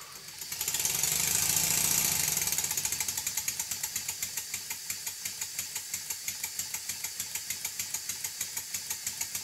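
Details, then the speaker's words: Stuart Models 7A vertical model steam engine, first build, running under load after valve fork was rotated one turn to center the valve over the ports; crisp, evenly spaced exhaust beats, about three per second, healthy running. "as you can hear the exhaust beats are very even"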